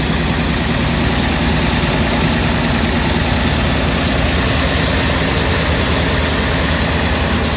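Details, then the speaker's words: 2000 Ford F250 5.4 2V V8 on cold start in freezing weather: loud, uneven idle that shakes and stumbles rather than settling; rough idle blamed on a dirty idle air control valve. "the idea I control valve was having issues on this vehicle there it is right here so we're going to try a quick fix today guys"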